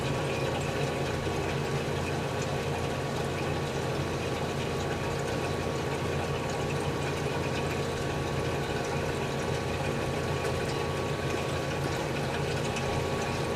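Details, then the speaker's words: General Electric CJ-1-C16 antique fridge after repair, 100-degree room: steady compressor hum under soft gurgle and hiss as liquid refrigerant feeds the hot evaporator; power demand and low-side pressure rising under heavy load, later about 255 watts, 15 low side. Normal flow. "And the power demand of the compressor is going up. And the low side pressure is going up because that liquid's going into the evaporator, which is really hot right now, putting a heavy load on it."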